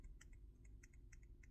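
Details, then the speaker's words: Samsung S22 Ultra 10x zoom camera module, faulty unit shaken gently by hand: quiet sharp clicks in irregular bursts; loose camera module rattling, a fault that typically follows dropping the phone; new module makes very little sound. "this camera when you drop the phone it goes faulty so this rattling noise normally happens when the phone is dropped"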